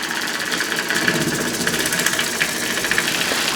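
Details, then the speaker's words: Homemade single-acting oscillating steam engine on live steam at a full 10 lb: quick even chuffing over a constant airy hiss; steam leaking between cylinder and port faces, typical for an oscillating engine. "also with steam you can see that there is some leakage right here which is very typical of an oscill engine uh between those surfaces"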